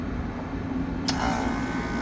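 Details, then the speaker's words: Air conditioning unit with contactors pushed in by hand after the motor was seen starting rough and flexing: steady low even hum, no knocking; both compressors running normally, not a direct short, pressures unchecked. "sounds fine sounds fine both the compressors sound like they're working don't know if pressures are good but we know it's not a direct short"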